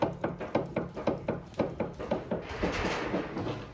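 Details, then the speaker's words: Peugeot parked and rocked by the roof rails, camera down by the wheel: sharp regular knocks about twice a second from a worn anti-roll bar drop link; new drop links to be fitted. "Grab the roof rails and rock the car. Can you hear it knocking? Charlie, if you take the camera down towards that wheel, you'll hear that drop link knocking."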